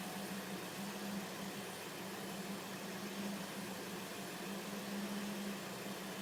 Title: 2005 Volvo S40 T5 Blinking MIL & Whining Sound